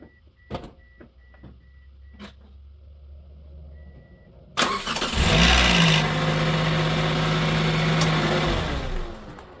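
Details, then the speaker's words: Auction Pontiac Vibe (Toyota engine) cold start after a dashboard chime: brief metallic timing-chain rattle, chain hitting the valve cover, fading after about three seconds as idle settles; worse when cold. "That little rattle at the very beginning, and then it quietened away about, I don't know, 2.97 seconds. That's what it is."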